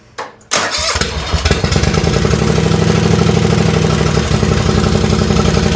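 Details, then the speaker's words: Race lawn tractor on its second run, 12° outside, warming up: it fires after a short crank and settles into a fast, harsh, choppy idle. Even with added drilled baffles, the exhaust is better but still too loud. "Uh the exhaust sounds better, but I think it's still too loud. It does sound better. It sounds like before it was really loud."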